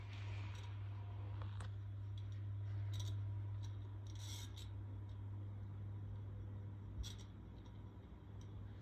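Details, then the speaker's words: 1994 SMC/GEC 120 cm ceiling fan on low speed, mic moved close: steady low hum under irregular dry scraping ticks, about four a second, from extremely bad worn bearings. "this fan does have extremely bad bearings I'm going to move closer to it so you can hear it"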